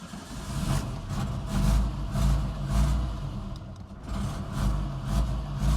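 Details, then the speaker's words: Barn-find Austin Maestro first start after an oil and filter change, with the choke fully in. A low uneven beat surges and sags about twice a second. It runs rough and the carburettor still needs a lot of adjustment; there are no oil leaks. "yeah we've still got a lot of adjustment to do there haven't we at least it's running now"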